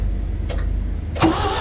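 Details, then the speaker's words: Clark forklift that sat a few years without running: slow soft cranking thumps with little bite, no firing; weak crank suggesting low compression, before ether shot. "that sounds like a really weak crank it doesn't sound like a ton of compression"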